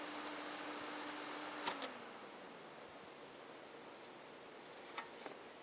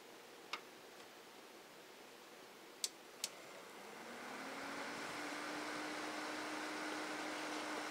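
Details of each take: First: Cooler Master Elite 120 PC with CPU fan unplugged: a tone drops away after a click, leaving a faint soft airy hush with handling ticks; the remaining fans run quietly. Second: Stock CPU cooler fan in a Cooler Master Elite 120 case, before planned Corsair H60 liquid cooler swap: a few clicks, then the fan spins up to a steady airy whoosh with low hum near 280 Hz, slight fridge buzz nearby; loud CPU fan.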